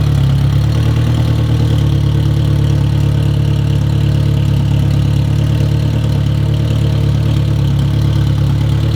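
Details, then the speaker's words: 1993 AWD turbo K-swapped 1000 hp Honda, fresh self-built blueprinted engine, first run with good oil pressure: deep, steady idle with a low even drone, no stumble or knocking. Sounds healthy, though a cylinder 1 misfire issue was noted later. "I mean so far oil pressure is awesome it sounds healthy as could be and it cranks right over which is you you can't beat that"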